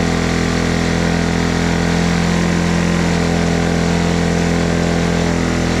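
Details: Honda ATC 90 idling after sitting 50+ years, carburetor sandblasted, points adjusted, valve clearances checked: steady, even putter of about four beats a second at constant pitch with no misses or knocks; healthy small single.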